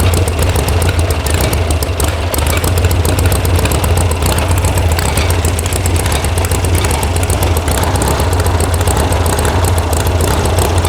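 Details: VW air-cooled sand rail (about 1966) after electronic ignition install and firing order fix: deep, lumpy idle that wanders and hunts with a bobble; the carb mixture screws were backed way out, giving a rich idle.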